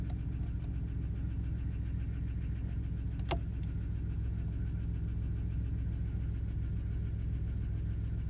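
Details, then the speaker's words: 1992 Plymouth Voyager, cold idle just after revival (fusible link replaced): light, fairly even tapping about three to four times a second over a low rumble, blamed on the fuel pump; some smoke. "it just so you can hear there's that fuel pump lovely tapping sound"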